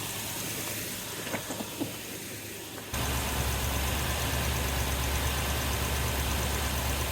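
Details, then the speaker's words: 2003 Toyota Tundra 4.7 2UZ-FE V8, first start after replacing a snapped timing belt, water pump and oil cooler gasket. It settles into a steady, even, smooth idle with no misfire or knock, and oil pressure is good: normal idle. "Oil pressure is good. It sounds perfect. Let it run for a while to get this coolant fl."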